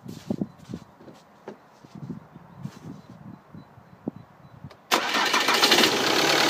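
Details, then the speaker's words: Diesel with a Delphi pump, tested with a pressure sensor screwed into the fuel line: the starter cranks about five seconds before it catches and idles, a slow start from fuel lost when the line was opened; about 55 bar pre-pump pressure after. "rozruch po wkręceniu takiego czujnika może być cięższy jak normalnie ze względu na to że normalnym zjawiskiem jest to że po prostu część tego paliwa gdzieś tam może być spuszczona"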